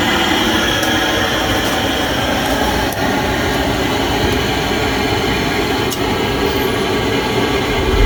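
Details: Pentair MasterTemp 400 pool heater after replacing the failed igniter: steady, even roar of a lit burner with fan hum, no clicking or sputter; heater firing and running normally.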